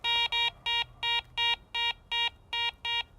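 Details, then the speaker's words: Garrett ACE 400 metal detector with a gold ring as target: repeated clean mid-pitched double-note beeps, about three a second; the mid tone for target IDs 33 to 75. "Next, for the mid tone, I've got a gold ring. Mid tone is anything reading from 33 to 75."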